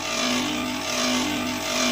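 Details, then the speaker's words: Steady mid-pitched hum with airy hiss from a 2 HP cabinet air conditioner outdoor compressor, previously stuck, now running normally after starting with a large-capacity capacitor super starter. "The compressor is running normally, and the exhaust is inhaling."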